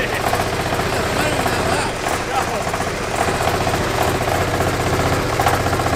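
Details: China-made 1300cc diesel V-twin for a go-kart, first run strapped on a table: steady clatter with even lumpy twin beat, no misses or odd knocks, responding cleanly to throttle; running fine.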